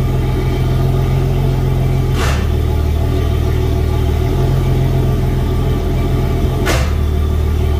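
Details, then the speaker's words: Yamaha F250 4.2 outboard on a Grady White 216, annual service, idling on a flush hose with good oil pressure and water temperature not yet up: deep, steady rumble with even firing and brief water swooshes; healthy idle, not revved to protect the water pump. "so letting it idle is okay but i wouldn't rev it up at all"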